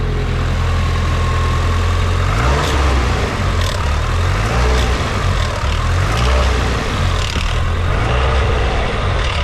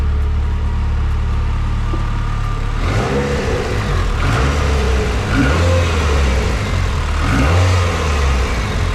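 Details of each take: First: Nissan S15 SR20DET turbo four-cylinder being revved: loose metallic rattle from the VVT sprocket over a deep exhaust drone, known SR20 VVT death rattle; fixed by replacing the VVT unit. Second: Nissan S15 with SR20DET turbo petrol engine after VVT sprocket replacement: it idles low and steady, then takes a few clean revs with the earlier loud VVT rattle gone.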